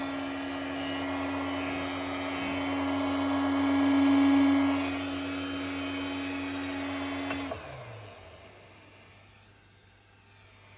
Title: Creality Ender 3 v2 loud noise from base